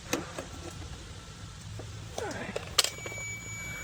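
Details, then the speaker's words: John Deere D140 riding mower, unused two years (surging engine): starter solenoid gets 12 V and is heard clicking sharply, but passes no 12 V through and no cranking; contact inside probably intermittently failing, suspected. "Right now, we're testing to see if your starter solenoid is working, which I'm getting 12 volts to it, which is good, and you can hear it clicking, but I'm not getting 12 volts through it."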